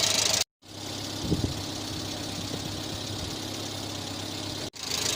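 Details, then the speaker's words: 1986 Renault Super 5 GTL 1.1 petrol, after engine oil change with 15W40, starter recently worked on and smoking slightly; warm idle with an even, quiet beat, fairly stable, no misses or knocks; normal idle. "Bon, elle tourne toujours bien. Un ralenti plutôt stable, je trouve."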